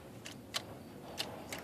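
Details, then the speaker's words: 6.2L diesel after adjusting the fuel delivery screw and refitting the injection pump cover, key on accessory, pink/red wire touched to power: four crisp clicks of the fuel shutoff solenoid, showing normal operation with no linkage binding. "you hear it clicking, that means you didn't anything up. So, you're all good to go."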